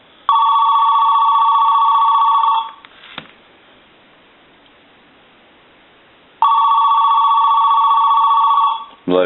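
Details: AT&T 210 Mickey Mouse telephone after repair, ringer switch set to high: loud bright warbling rings of about two seconds, separated by roughly four seconds of quiet; the ringer works properly.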